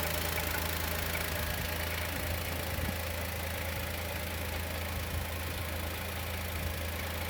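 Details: 2020 Chevrolet Onix naturally aspirated, about 4,000–4,500 km, first cold start of day at idle: light irregular tick about three a second, louder with oil cap off, not clutch bearing; lifter or piston pin suspected.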